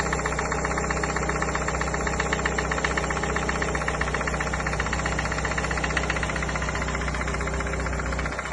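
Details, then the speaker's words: Engine idling with a regular knock about four per second coming from the oil pan (sump) area, low in the bottom end; cause unknown. "И, кстати, у вас в поддоне что-то стучит, походу у вас опять мотор не очень хорошо себя чувствует."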